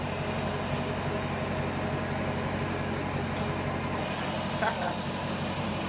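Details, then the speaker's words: 2020 Dodge Charger Pursuit AWD with Hellcat-supercharged 5.7L V8 swap, running untuned before going to tuner: deep, steady V8 idle, even beat, no knocks or misses; runs fairly good though data shows it's not happy. "It runs fairly good with no tune though. Yeah, it really does."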